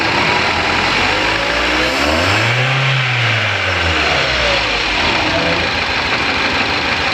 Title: No " 1 " cylinder not working. Engine knocking/Jerking. Throttle valve not open. How to solve ?